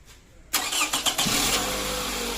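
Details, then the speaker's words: 2006 Toyota Camry 2.0 automatic with a no-start issue traced to the alternator wiring, repaired without replacing parts: brief crank, then it catches cleanly and settles into a steady, even idle; timing was fine. "Okay umandar na Akala ko nawala sa timing hindi naman pala"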